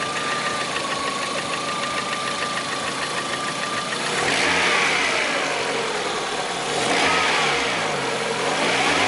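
Rapid, fairly even knocking rides over the engine and gets busier as the revs climb; a knock from inside the engine, source unconfirmed.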